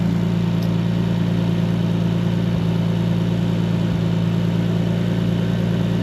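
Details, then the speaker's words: Nissan 240SX with RB25 after coil pack ignition repair: steady low idle with a beat dropping out about every second; misfire at idle, owner suspects sticky injector, fuel issue or boost leak. "maybe I spoke too soon have a sticky injector but it seems like I have a slight Miss interesting fuel related or what I have a boost leak or something"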